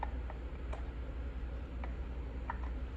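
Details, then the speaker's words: Five-pin automotive relay on a bench tester across pins 85 and 86 with inline fuse: sharp, clean clicks at irregular intervals over a low hum; relay switching on and off, working normally. "plug that one in the test you can hear the relay clicking on and off"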